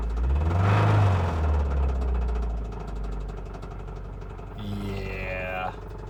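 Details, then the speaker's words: Nissan Cube engine; steady rapid knocking about four a second over rough running. Suspected connecting rod loose on its journal or possibly a broken ring land. Engine knock. "it's bad it's that's got to be the connecting rod wobbling around on the journal"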